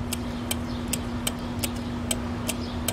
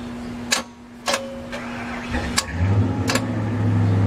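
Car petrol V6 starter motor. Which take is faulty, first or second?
second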